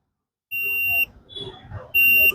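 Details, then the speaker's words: Multimeter continuity test on a Stranger PBT-1500 amplifier board during shorting-fault repair: two short high-pitched beeps confirming a continuous path through a resistor, showing it is not burnt open. "क्योंकि दोस्तों, अगर हम इस resistor को हटा दें, तो यहां बीप की आवाज नहीं आती है।"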